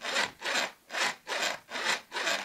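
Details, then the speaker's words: New longboard truck with bushing removed: rhythmic dry creaking, about two strokes a second, as the hanger rubs unlubricated in its pivot cup, like a squeaky door; dry truck pivot creak. "понимаете ваших достаете бушинг снимаете подвязку слышите как она скрипит вот такой звук и издается при котами новых ломбардов"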